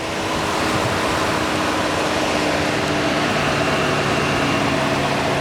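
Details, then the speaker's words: 2017 Chevy Tahoe SSV 4x4, ex-highway patrol, 5.3L V8, 129,000 miles, fully serviced. Heard at idle as the engine cooling fan whoosh eases off and winds down gradually; normal fan operation. "The fan is working, doing its job as it should. This is the famous 5.3 liter engine. You can hear the fan winding down right"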